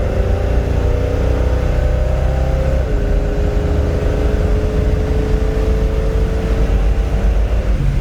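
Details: 1972 Chevelle Malibu 383 V8 on 2-inch pipes, before fitting Doug's headers and 2.5-inch Flowmaster exhaust: deep, even rumble stepping slightly down in pitch partway, no knocks or misses; normal stock exhaust note.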